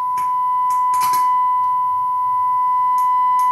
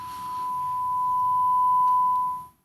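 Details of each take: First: Gallien Krueger 400RB bass amp under test tone: steady tone broken by short bursts of crackle and hiss as the boost control turns; scratchy, dirty boost potentiometer needing cleaning. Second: Gallien Krueger 400RB bass amp, test tone through master volume swells and fades smoothly as knob turns, no crackle or scratch; master pot clean, unlike boost control which has static.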